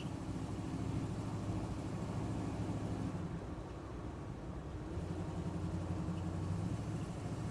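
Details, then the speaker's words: 1973 Chevy Nova 350 SS test drive over rough pavement; steady engine hum and road rumble with no clanks or clunks from rear, suspension sounds solid. "still not hearing any clanks I think we might have nailed St see if we can find a few bumpier bits up here somewhere"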